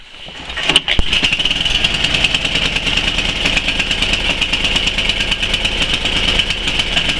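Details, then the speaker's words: 11 hp Tecumseh Snow King engine on a Murray Select snow blower, cold start around -10°C: uneven, bouncing, hunting idle once off choke, from a partly blocked carburetor idle jet. "oh that's part of the problem that I'm talking about it doesn't like to idle um so let's try that again"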